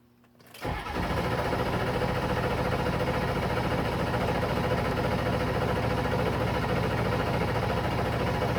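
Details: A 7.3 cranks steadily at about three and a half turns per second but never catches, fires or picks up speed; crank, no start.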